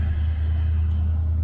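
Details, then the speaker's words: 1965 Chevy El Camino with tubular aftermarket front control arms, disc brake conversion and skinny front tires, after modifications: a steady low road rumble through a cul-de-sac turn, with no front-end grinding or scraping. The earlier grinding when turning or parking is gone. "all right all right well that took care of our little grinding noise"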